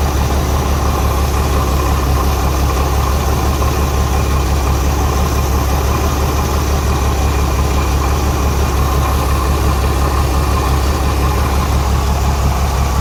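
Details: Renix Jeep Cherokee inline-six idling: a deep, slightly uneven thump from a cylinder 6 misfire, its exhaust valve rocker moving less than the others; backing off the rocker bolt later cured the miss.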